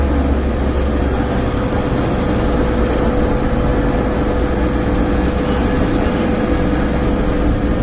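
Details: Stagecoach Cumbria Optare Solo bus 47020 (PO51 WLK) on Service 30 Whitehaven to Workington, May 2015: loud, constant low drone with fixed tone around 500 Hz under running noise; hum source unknown.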